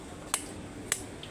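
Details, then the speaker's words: Electric fan oscillating: sharp clicks about every half second over faint hum as the swing stalls and stops; oscillation gearbox clutch slipping. "Hindi siya nagtutuloy-tuloy sa kanyang swing at naririnig niyo yung ingay. Ayan oh. So bakit ba nagkakaganito mga ka-budds? Yung ating gearbox no."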